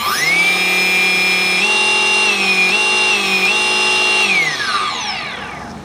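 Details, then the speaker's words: Turnigy AE-30A brushless ESC on a motor: steady high whine at half throttle, then on cut-off the pitch slides slowly down over a second or more; the brake setting was apparently not applied. "huh interesting see how like a didn't stop slowly revving down I must have not set the uh brake might came in too late on that one"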